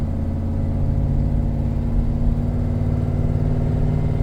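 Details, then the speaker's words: 2007 Ford F-150 4x4 on a test drive, with a check engine light for P0420 (evap) and P0193 (fuel rail pressure circuit high) and a rusty frame: a smooth, steady engine drone under load with no knocks or misses, normal acceleration. "Okay, now we're going to go for a drive. It's got good acceleration."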